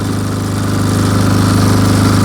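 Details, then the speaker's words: Military MEP-831A 3 kW generator with a single-cylinder Yanmar L70 296 cc diesel, 16 years old, fitted with a new governor controller: steady diesel thump settling smoothly to idle after a roughly 2,800 W load is removed; governor working properly. "you can hear that it just idled right down it did exactly what its job is"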